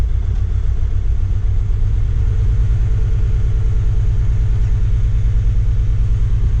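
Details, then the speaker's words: 2007 Kia Sportage VGT diesel with early DPF at 213,280 km: loud, uneven, hunting idle with a heavy low rumble on first start. Power balance reads 957/939/879/906 rpm per cylinder. The injectors were suspected. "자, 보시면은 차가 엄청난 소음이 보이시죠? 차가 헌팅을 합니다."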